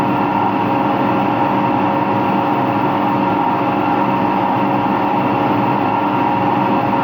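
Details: Empty washing machine on rinse and spin with no clothes; a continuous loud roar with a steady hum holds through the fast spin. Owner thinks both the motor bearing and the drum bearing are worn, and saw no leak.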